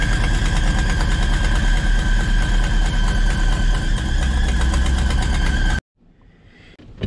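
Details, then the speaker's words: 1989 Ford F-800 crane truck, engine reinstalled, starts right up after ignition switch fix; steady high-pitched squeal over lumpy idle until shutoff, slipping drive belt: belt squeal. "there we go right to life still got that belt squeal i'm working"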